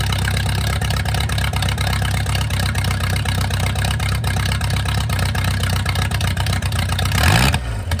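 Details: Mercruiser 470 3.7L inboard boat engine, first run in 16 years: steady low rumble with even firing at a fast idle, holding smooth throughout; runs cleanly.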